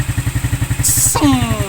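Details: New Smash motorcycle after fixing a weak, delayed electric starter caused by a cracked starter motor magnet and reversed rotation after new parts; short starter whir, catches immediately and idles evenly with quick steady pulses, healthy start.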